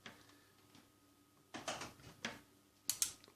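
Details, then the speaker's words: Powercom PCM RPT-600AP UPS after replacing two dried capacitors (10µF 100V, 100µF 35V), resoldering and reconnecting the battery: on 220V mains the relay clicks immediately with no buzz, now charging; repair successful. "Так, відразу клацнуло релем. цього такого не було."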